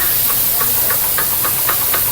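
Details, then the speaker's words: Mitsubishi Xpander, noisy when accelerating and turning: steady clicking knocks about three or four a second from a worn drive shaft (CV) axle; the other side is quiet, so the axle will be replaced. "complain ni boss dito is ano ah mayon ka ng pagka pag nag uh gas siya tapos pagka lumiliko maingay."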